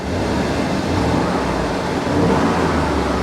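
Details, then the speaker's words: Mercedes S420 W140 V8 at a salvage auction lot, idling then given a light rev, run to charge the battery; even rumble rising smoothly, no knocks or ticks, sounds good; healthy engine rev. "sounds good she sounds good i'll let it run for just a minute hopefully charge up the battery"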